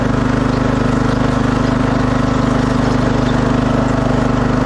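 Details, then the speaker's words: 2006 Craftsman LT3000 started cold after an oil change, a new idler and a charged battery: at first a little noisy, then a steady, even single-cylinder thump at about 214 beats a minute. It runs normally. "see if it starts up still kind of noisy oh no that's pretty good yeah that's a lot"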